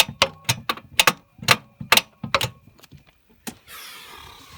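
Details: Holden VT Commodore: sharp uneven clicks, about two a second, with no cranking and a hiss after; starter motor has failed, even when struck with a hammer.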